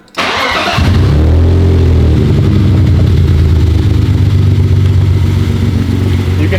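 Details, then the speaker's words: BMW E46 petrol engine started: cranks, catches and settles into a lumpy, uneven idle from a clear misfire; leak suspected from hose through the head. "really hear the misfire now."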